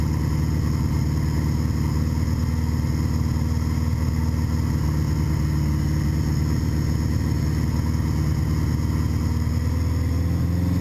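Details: 1981 Honda GoldWing on its first start with a custom manifold, VW carburetor, temporary gas tank, fresh oil and a wired fuel shut-off valve: deep, even note running steadily, rising slightly at the end. Normal running.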